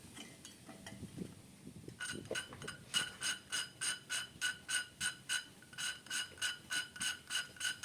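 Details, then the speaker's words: First-generation Honda Vario carburetor engine rebuild, lapping valves in cylinder head: quick even back-and-forth scraping about three strokes a second, fine-toned with no rough grit, lapping done; smooth valve lapping. "Jadi untuk standar penyakiran klep ini kalau suaranya itu setelah dilakukan penyakiran suaranya ini maksud saya suaranya itu sudah halus terus sudah enggak terasa kasar"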